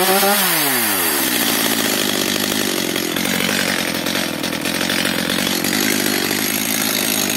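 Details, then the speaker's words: Stihl MS 230/250 chainsaw after the idle speed was raised. It catches, revs up, then holds a rough, wavering high buzz, running only so-so. The air filter is completely clogged, and weak compression is suspected. "No i co widzowie widzicie pilarka jako tako chodzi"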